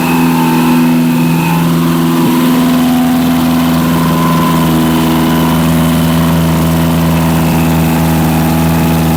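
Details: Barn-find Zastava 850 petrol classic, partially restored then stored for years, after a coil change and points/ignition work: fast, steady high idle that never drops back, as if the throttle is stuck open; cause suspected, not confirmed.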